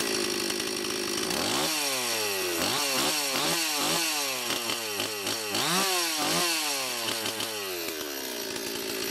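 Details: Stihl 026 chainsaw, previously non-running with low compression, after cylinder/piston work and Walbro K20-WAT carburetor rebuild, high and low screws set one turn out; crisp two-stroke note rises and falls cleanly through throttle blips, returning to steady idle, running normally.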